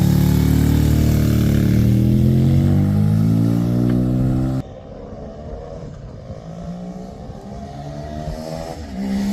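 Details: Suzuki RE5 rotary motorcycle, outdoors after carburetor overhaul and setup: smooth, even buzz climbing cleanly with each blip and settling to a steady idle; normal running with carburetor set up correctly.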